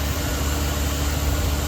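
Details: 2013 Chevrolet Silverado 2500 HD, 6.0 gas V8, idling after spark plug, plug wire and heat shield replacement: steady, even low rumble with no misses or ticks; smooth, healthy normal idle.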